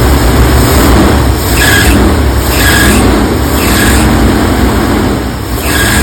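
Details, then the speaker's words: 1984 Ford E350 RV V8 started on its own tank after sitting, varnished fuel partly drained; uneven stumbling idle with dips and shaking; owner suspects many vacuum leaks and remaining bad gas, good oil pressure, charging. "got a rough idle I know there's a bunch of vacuum leaks everywhere so that's probably contributing to the the the bad Idol"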